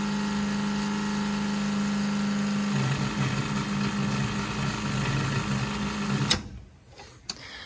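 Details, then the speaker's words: 1968 Plymouth Barracuda drag car, Summit black electric fuel pump heard switched on from inside: steady droning whine shifting pitch then cutting off; pump labouring with no return line, had surged racing in 90+ degree heat. "It's not very happy. That should change when we get a return line coming back."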